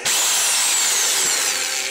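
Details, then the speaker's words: Black & Decker drill/hammer drill, switched between hammer mode and regular drill mode: steady high-pitched whir at an even speed, no grinding or catching; healthy normal running. "You can kind of hear the difference. That's in hammer mode. Regular mode. Very good drill."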